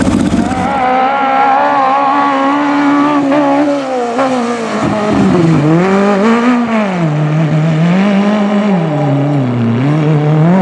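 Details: Magnum super buggy race car V8 with a new carburettor on track: revs waver and dip with a ragged flutter when turning left or right; owner suspects float set too high causing fuel starvation.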